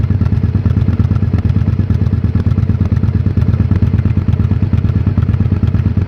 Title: 2001 Honda XL1000V Varadero Rough Idle